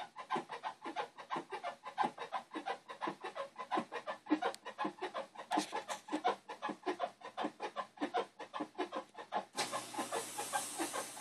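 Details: Whirlpool Cabrio 5500 washer: a rhythmic "squeaky bed" chirp two to three times a second as the drum turns, during load auto-sensing at wash start and sometimes mid spin/rinse; it cannot be reproduced manually.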